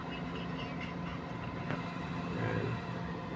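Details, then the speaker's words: Suzuki Transformer DA64/DA17 A/C compressor, after flushing the system of black oil (compression only 50, replacement recommended), running with low steady quiet hum, no rattle or knock at fan speed one, cabin cold. "walang ingay dito. So walang ingay sa loob. Ayan oh. Malamig."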